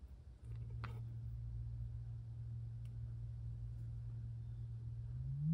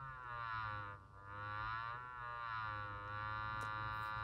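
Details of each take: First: Mid-1930s Knight 98AE-184K six-inch electrodynamic loudspeaker, field coil energized, after shim repair: signal-generator sine near 100 Hz then sweeping up, clean with no buzz, rubbing or rattle at 100 or 200 Hz; cone moves freely. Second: Mid-1930s Knight 98AE-184K receiver's 6-inch electrodynamic loudspeaker driven by a sine wave just over 100 Hz: a buzzy papery rattle rising toward 200 Hz from a loose cone at the voice coil.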